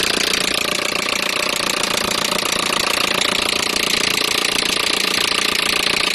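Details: Peugeot 307 1.6 petrol engine running with a steady, fast, sharp tapping of about three per second over it; an engine knock whose cause is unclear.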